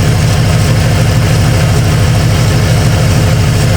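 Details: 1995 Ford F-150 barn find after sitting for years: heavy, lumpy idle with a low thump about three per second; misfire suspected from injector number two, which makes no ticking when probed.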